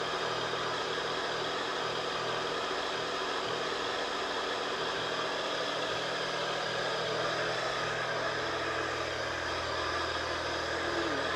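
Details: Triumph Tiger 1050 Sport, just reassembled and first started after priming: steady, even idle hum holding level with no misses or knocks; starts and runs healthy despite a separate leaking fork awaiting new seals.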